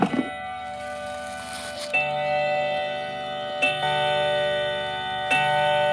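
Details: Brand-new Howard Miller clock just unboxed, chime switched on: clear ringing bell notes struck every couple of seconds, each sustaining evenly over a quiet tick; normal clock chiming.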